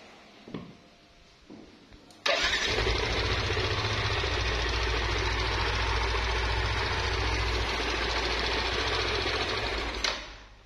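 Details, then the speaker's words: Yamaha NMAX scooter starts and runs with a loud, coarse rumble from parts in the CVT and head; the customer first thought the noise came from the CVT, with the rear pulley bearing also suspected. "ciri-ciri orangnya bosku itu gemuruh banget sih itu rame banget ya"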